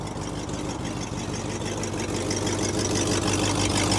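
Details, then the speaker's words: Cadillac with 390 V8 and Edelbrock carburettor, new water pump, fuel tank, fuel pump and battery, heard from mic worn inside the car: deep, even idle with steady lope, no knocks, ticks or misses; normal idle. "Now you may not be able to hear very well from the microphone I'm wearing, but the car idles really well."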